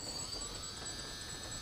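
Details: S500 quadcopter brushless motors running at constant throttle after ESC calibration and motor direction setup: a smooth, steady high whine with no stutter. The motors are spinning normally, except one faulty motor that does not spin.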